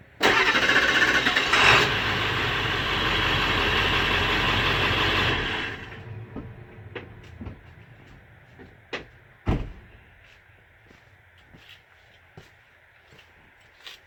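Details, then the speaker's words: Late-1999 Ford Super Duty 7.3 Powerstroke diesel that sat 3+ years, fitted with a Denso starter. Quick, even cranking beat near four per second for about five seconds: unusually fast cranking. "I haven't been around diesels real long, but I've never heard a diesel spin over that fast. That Denso is worth every bit."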